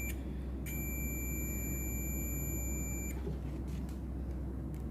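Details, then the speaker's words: MX HP Pro 20000 amplifier in protection mode: steady high continuity beep for about 2.5 seconds over low hum, the other side still shows a short on the board before the broken-leg component is removed. "अब इस तरफ का देख लेते हैं, shorting दिखा रहा है, देखिए इस तरफ का शॉर्टिंग दिखा रहा है अभी भी।"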